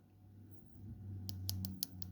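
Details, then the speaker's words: A few crisp, distinct clicks from the two old-style micro switches in a dismantled Peugeot 306/405 two-button key fob; the switches work normally. "on to other side you got two little micro switches old styled ones but micro switches still so don't know whe you can hear that clicking away"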